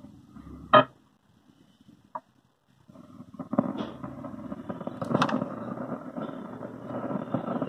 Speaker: ये खड़खड़खड़ की आवाज़ आ रही है ना, ये यही प्रॉब्लम है इसमें।